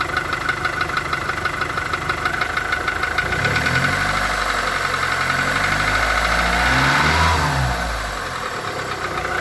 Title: Гольф 4 1.4 16v стук в двигателе, фольксваген.